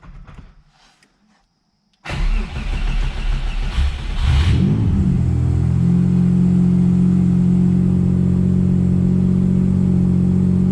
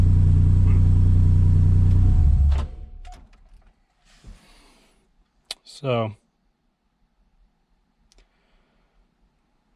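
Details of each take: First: Subaru Impreza with EG33 engine after correcting wiring that had been wired wrong: cranks, catches and settles into an even, smooth idle with no stumble, same AFR, now fixed, normal idle. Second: Subaru Impreza with swapped EG33 flat-six, passenger-side bank one running richer than bank two: catches and runs rough with a lumpy pulse about three times a second, then dies; injectors and coils wired out of firing order.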